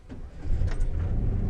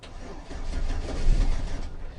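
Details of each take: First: 2004 Chevy Silverado 4.3L V6 with crank-no-start fixed by replacing the faulty distributor cap and rotor: quick crank, fires promptly and settles into a smooth, steady low rumble; clean start. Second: 2004 Chevy Silverado 4.3L V6, came with dead battery; low churning starter crank with no firing or catch, crank no start, spark missing, traced to faulty distributor cap and rotor.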